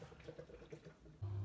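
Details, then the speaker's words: Miele WKR 771 washing machine with TwinDos, owned about 18 months, on an eight-minute flushing run: light irregular ticking, then a steady low hum with running water as the component pump draws in water; normal pump operation. "you might be able to hear that ticking that's just the component to pump just drawing in water and I'll do that for about eight minutes just to flush through the system"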